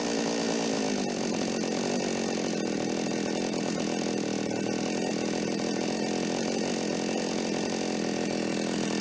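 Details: Toyama TCS46H chainsaw after carburetor cleaning, new intake and slight idle (T) screw reduction, needles untouched: high steady two-stroke scream holds pitch as the chain bites into wood; earlier flooding and dying on acceleration fixed, saw cuts cleanly and healthy.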